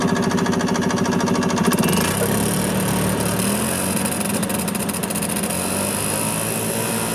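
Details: 1986 Yamaha G1 gas golf cart, two-stroke, after carburetor cleaning fixed a crank-no-start (fuel smelled like diesel): runs steadily with even pulses, speeding up a little then holding smooth; sounds healthy.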